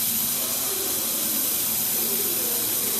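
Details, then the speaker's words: HVAC condensing unit that runs; steady high-pitched hiss of gas escaping at the pressure switch, which moved when leaned on; switches worn; refrigerant leak at pressure switch, fixed by replacing high and low side switches. "I lent on some I think I on the pressure switch it moved and I can hear it hit anyway that is where it's coming out of"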